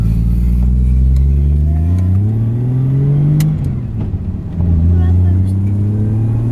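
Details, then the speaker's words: Nissan 180SX test drive after a differential swap to cure a whine. The engine pulls cleanly through the gears under boost with a smoothly climbing pitch and no whine, and the gearbox has no crunches. Normal drive, no differential whine. "No noise. Noise is gone. Can't hear anything, no whine at all."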